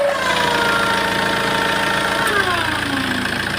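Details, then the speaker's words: Tata Safari Storme diesel idling, turbo actuator worked by hand pump after vacuum line disconnected: thin steady whistle shifting in pitch with light rattle; mechanic thinks the turbo turbine has developed internal play, turbo appears previously opened. "य इसका मतलब इसका जो turbo है उसी में है इसकी मेरे को लगता है इसकी जो ये टरबाइन है ये काम नहीं कर रही है काम कर रही है लेकिन ये अंदर से प्ले पड़ गई होगी है ना"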